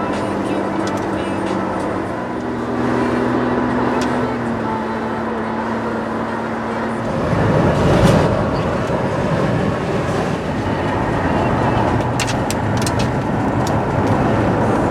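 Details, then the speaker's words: 2004 Suzuki XL7 driving after a bad rear differential pinion bearing was replaced: even road and drivetrain rumble at cruise with no whine or howl rising with speed, and the rear end is now quiet. "just like that, we got the Suzuki all taken care of. There is no more noise coming from the rear end of that thing."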